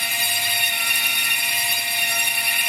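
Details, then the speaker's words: Rapid Turn machine boring the bearing bores for BSA girder forks on a very light final feed; a steady high thin singing tone with no chatter, the tool lightly skimming the bore. A clean final cut takes very little off. "just hear it tickling the work there now on the final feed is very light that's good"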